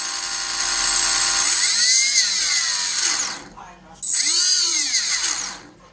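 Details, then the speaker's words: Small electric motor on a battery, run up twice with worn bearings: harsh, raspy high whine, compared against the same motor refitted with new bearings. "so this is an engine with the bad bearings and this is the old engine but with the new bearings is connect to mother to fly battery and you can hear the difference so let's see the bad this is the sound"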